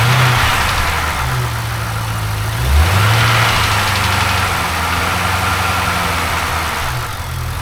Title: LS7 Ticking Sound